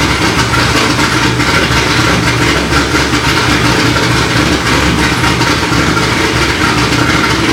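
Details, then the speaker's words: Corvette C6 Z06 V8 on E85 with ported heads, FAST 102 intake, long-tube headers and straight-pipe axle-back, first start after B3 cam and McLeod RXT twin-disc clutch install: strong, even lopey idle, no ticking — normal idle. "so so there you have it guys b3 cam install along with the rxdr twin disc clutch and it sounds it sounds good"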